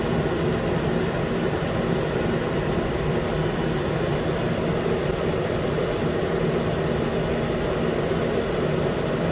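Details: 2013 Nissan Pathfinder, 265k miles, after new AC clutch and serpentine belt, around 80 degrees: new clutch clicks on, steady even idle holding compressor load, no squeal or grinding; normal.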